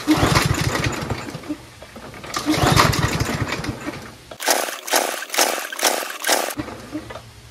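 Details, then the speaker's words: Troy-Bilt TB110 push lawnmower with auto choke, after sitting, gas in tank: five quick recoil pulls with short raspy bursts and no firing; owner pulls repeatedly to draw fuel through and loosen a possibly stuck float, rust or ethanol residue in the carburetor. "why do I pull it so many times because because each pull creates a vacuum and sucks up gas where gas isn't allowed to go"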